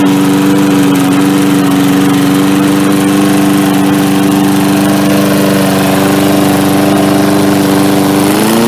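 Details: MTD Yard Machines 3.75 hp 22-inch push mower, carb only cleaned: strong, even single-cylinder drone at a steady pitch with no misses or surging; running smoothly.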